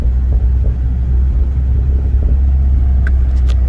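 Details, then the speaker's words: 2016 Ford Focus RS RS2, Mountune built engine, driving on rough pavement: even low road rumble with no clinks, clunks or pops; suspension sounds tight and healthy. "This road is pretty rough, which is perfect because you guys can hear the suspension. It doesn't clink or clunk or pop or anything like that."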